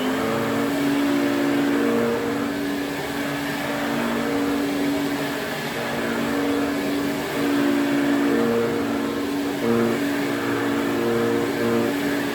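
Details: 1980s Electrolux Twin Turbo 500-series exclusive (1988 Z517 or 1989 Z521) with a 550 W motor, switched on at the bag for a quick test. Steady, even motor hum at constant pitch with no rattles, scraping or surging. Motor sounds okay and suction is good.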